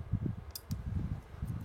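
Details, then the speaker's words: Somfy Centralis Uno RTS roller-shutter remote module on a 5 V (4.98 V) supply during repair: two crisp clicks a split second apart as the relays pull in and latch normally when the buttons are pressed. "Donc on les entend. Je sais pas si ça va être audible au micro. Ouais. Donc il colle bien."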